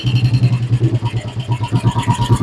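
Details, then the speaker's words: Old Royal Enfield Bullet CI 500cc, first start after years of storage with a corroded carburetor cleaned, started on choke: slow thumping idle with dry ticking over each beat; the rocker noise is most prominent, suggesting tappets need adjustment. "ഇപ്പം നിലവിൽ ഇപ്പം റോക്കറിന്റെ സൗണ്ടാണ് കൂടുതലുള്ളത്."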